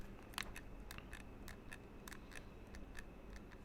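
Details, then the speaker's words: Fantech Aria XD7 gaming mouse after three months of use, squeezed lightly near the microphone: faint, irregular plastic ticks and creaks from shell parts hitting each other, with no button actuation. The build quality has worn. "so it's basically like a light clicking noise on the front here it's not actuating anything I think it's just a plastic um plastic um hitting each other there's that I'm creaking when I squeeze the mouse lightly"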